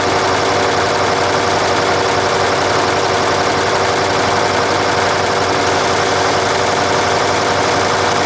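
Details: Nissan Diesel UD5 two-stroke uniflow supercharged diesel running with the air cleaner removed: loud, busy clatter with a fast, rough ticking on top from the blower breathing through the open intake; the engine sounds healthy.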